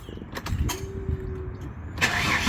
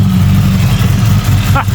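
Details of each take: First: 1997 Ford EL Fairmont Ghia 4.0 inline-six, just fitted with a Crow Stage 4 camshaft, untuned: cranks, catches, lumpy uneven idle with irregular popping; running far too rich, throttle held slightly open, idle too low. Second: 1997 Ford EL Fairmont Ghia 4.0 inline-six with a Crow 2221514 "Stage 4" billet cam, untuned and running very rich: uneven, lumpy, choppy loping idle; cammed idle.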